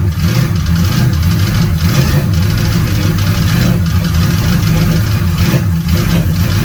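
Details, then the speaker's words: 350 Chevy V8 newly swapped into a Holden HQ ute, on its first start and warming up. Lumpy, uneven idle with surging revs and a loping rumble: the ignition timing still needs adjusting. "run a bit for a while and warm off she goes have to play with the timing a bit"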